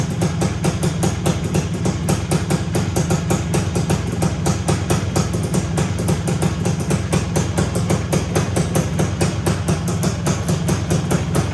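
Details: 1974 Honda MT250 two-stroke, first start after rebuild with new OEM seals, head gasket, NOS piston and rings and honed cylinder, no chain fitted: fast even crackling beat, steady with no knocks or rattles; rebuilt top end running cleanly.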